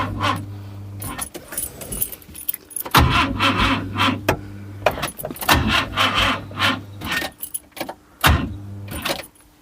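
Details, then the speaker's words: Skoda Estelle 120 with a Rover K-series swap, fed from a temporary fuel pipe, coil pack 4 being checked: short bursts of cranking with no catch. The owner suspects a failing starter motor; once it ran, it was on three cylinders. "Second boost start. Oh, it might be a starter motor that's had it. Won't surprise me."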